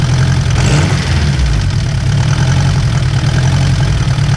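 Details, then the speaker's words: Turbo Honda S2000 with stock internals, just after an intake manifold install, warm idle: a steady low drone with a faint light rattle; owner suspects the tensioner and plans to swap it, not confirmed. "so you could hear it in here a little bit better and yeah a little rattle so yeah it's more or less than noise a little rattle so gonna swap out that tensioner see if that fixes the issue"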